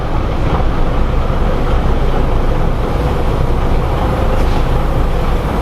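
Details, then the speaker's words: 1977 Peterbilt 359 motorhome, 1693 diesel with hydraulic governor, just started after glow-plug heating, cold: deep, even rumble at a raised idle that will drop as it warms, about 40 psi oil pressure, no knocks or misses; normal. "We idle it up, it comes up, it'll go down as the engine engine warms up."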